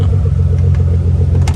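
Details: Car idling for about 30 minutes after a fuel pump control module bypass; the ground wire is not getting hot. Deep, even rumble holding one steady speed with no misses or knocks; the engine idles smoothly and healthy.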